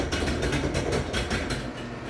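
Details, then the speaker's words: Garage door opening, very loud since the owners moved in, recorded before a planned lubrication: steady rattle and rapid clacking knocks several times a second over a low rumble; sounds dry and poorly lubricated, cause not confirmed. "Not sure if you can hear that, but it makes a lot of loud sounds while it's opening."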